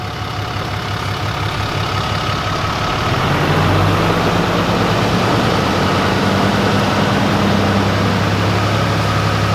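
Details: Old Mack diesel truck, started with jumper cables on two big batteries after bleeding injectors; it catches after about three seconds and runs lumpy and uneven; cylinder six is dead, getting no fuel from the injection pump at the rack.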